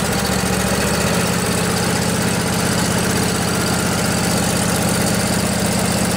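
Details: Revived junkyard Briggs & Stratton Intek OHV twin (20-22 hp, model 40777) in a Husqvarna riding mower, new carburetor, fuel pump now feeding: steady, even low thrum at idle with smooth regular beat, no knocks or misses; normal idle.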